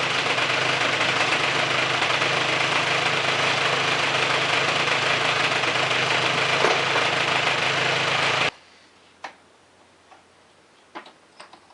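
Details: Polaris 400L single-cylinder after a head gasket replacement, run to circulate coolant and bleed air from the refilled radiator: a steady, even beat at idle for about eight seconds, then shut off; it sounds healthy.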